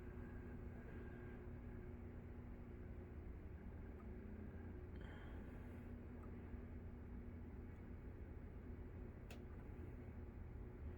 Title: Gr1 relay buzzing noise